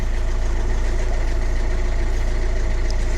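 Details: 2006 Mercedes Vito diesel van, sat about 6 months, after replacing alternator with seized pulley that caused no-start: even steady idle with smooth firing beat, no knocks, rattles or whine; sounds healthy, now charging.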